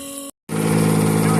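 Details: Outboard boat motor, first run of 2026, thermostat removed, water flowing out the thermostat and exhaust: after a brief pause it fires and holds a smooth, even buzz with no misfire or knock. It runs healthy.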